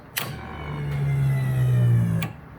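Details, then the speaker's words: V8-swapped Datsun 620 with new harness, fuel system and no coolant system, key cycled before first start in months: steady low electric hum rising about two seconds between two clicks; fuel pump priming and pressurizing the rails, fuel returning. "You probably can't hear it on the camera, but I can hear the fuel returning and dumping back in. So we've got fuel in the fuel rails."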